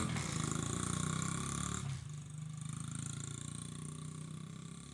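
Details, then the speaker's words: Honda XR50 single-cylinder after head gasket repair that fixed an air leak dropping idle: fairly even idle, soft pulsing thump, no air-leak hiss; runs fine, oil in silencer from sitting upside down may smoke. "Alright, so I got that piece of crap fixed. It runs."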